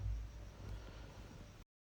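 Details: Skoda Rapid after a no-start fix: no current or fuel reached the fuel pipe until the headlight switch was replaced; it now holds a steady, low, even idle with no knocks or misses, then shuts off.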